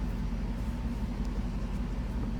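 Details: 1991 Mercedes 500SL R129, M119 V8, warm at just over 80 °C on a 63 °F day, after cleaning the idle control valve: steady, even low hum at a slightly raised idle; seems a little better, ICV may still be at fault.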